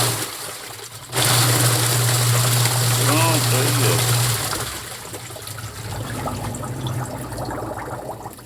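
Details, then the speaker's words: Agitator washer (tanquinho) reassembled with water after a coin causing a strange noise was removed and it was cleaned: steady low motor hum and sloshing, no scraping or knocking; normal agitator run. "belezinha não tem mais o barulho porque eu tirei a moeda que tava lá"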